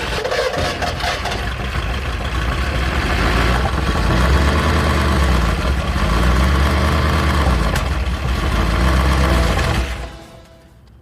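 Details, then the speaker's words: 1964 Ford Galaxie 500 XL junkyard engine first fired with no oil pressure: heavy, ragged low rumble surging then dying; runs terribly, carburetor still dry, valves feared barely opening, likely already wiped. "that Run's terrible I made fire out of the carburetor still dry I think it's junk"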